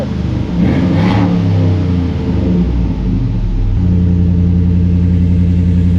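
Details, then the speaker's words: Jeep after the tailpipe was welded and a custom exhaust fitted; a quick blip then a deep even rumble that settles steadily, with no puffing or ticking from leaks; exhaust sounds healthy. "yeah that sounds great it's got a little bit of a rumble to it but it's not bad yeah I like that"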